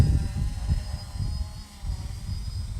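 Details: Smaller quadcopter with NAZA Lite flight controller: steady low prop buzz with mild throttle swells as it holds position; smooth, healthy hover with full control.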